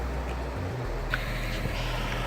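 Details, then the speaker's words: RV range microwave after its fan motor was replaced, heard from outside at the vent: a steady low hum with an even airflow rush and no rattles or scraping. The fan runs smoothly and exhausts to the outside. "The fan is venting to the outside. You can hear it, you can feel it, and that's really what you want."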